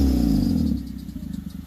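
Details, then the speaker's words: Honda CR-V: loud, raspy rev falling to idle with rapid puffing chuff from an exhaust leak where the pipe separated at the flange after the cat, three bolts rotted; a belt tensioner squeak is also present. "Got a Honda CRV. Think it has a little exhaust noise. See if I can rev it up for you."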